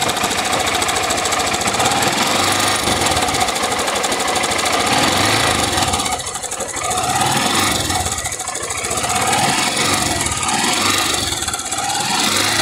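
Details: "660" motorcycle engine idling and revved: hollow metallic rattlesnake-like clatter on the engine beat, rising and easing with revs; rocker arms checked under opened top cover, noise from the cylinder, early piston skirt slap.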